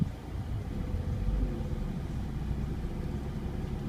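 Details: NA6 MX-5 Miata low idle wavers and stumbles with the A/C on after a new 52mm radiator install; air bubble trapped in the cooling system caused it.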